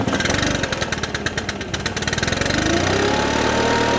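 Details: Stihl BR600 four-mix backpack leaf blower, on choke at start: fires raggedly then settles into a steady drone never reaching full revs, slightly bogging; suspected carburetor tune, clogged exhaust screen, crank seal air leak or valve clearance.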